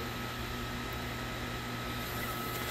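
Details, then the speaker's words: Fire pump room after riser flow testing, with the diesel fire pump controller off and the quiet jockey pump rebuilding system pressure from about 150 toward 170 PSI: steady electric motor hum with an even pump drone, no knocks or rattles; normal pump run. "Running off this quiet little pump here, and it's got to get back up to that uh 170 PSI."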